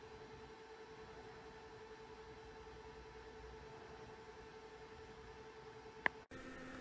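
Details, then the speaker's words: be quiet! Silent Wings 4 Pro fan in the rear pull position on a Noctua NH-U12A cooler. Quiet whir with a clear constant mid-pitched hum and higher overtones; tonal noise, possibly from fin spacing interaction. "I must say these be quiet fans particularly in the back position makes a terrible noise on my nocto cooler"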